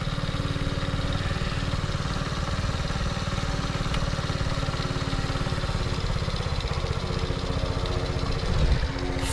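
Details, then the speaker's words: 1975 Honda ST90, on choke, air cleaner off, just after a hard cold start: steady, even single-cylinder putter at fast idle with regular firing pulses; now running normally. "finally finally it is running"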